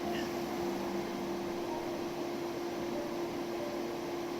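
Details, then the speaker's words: 2008 Infiniti G37: loud steady roar with fixed hum, radiator cooling fan stuck at maximum speed in safe mode because the radiator fan control module has failed; fix is replacing the module with an OEM unit. "and you hear your cooling fan running on maximum speed or full speed then your radiator fan controller is busted"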